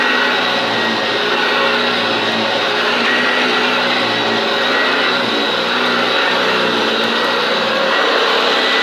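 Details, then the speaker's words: Hoover Junior upright vacuum run on the floor: a steady motor roar with an uneven, lumpy flutter beneath it from a rough-running brush roll, which is either on the highest height setting or needs new brush strips (suspected). "that's a bit rough. It's either on the highest height adjustment setting, or it needs new brush strips."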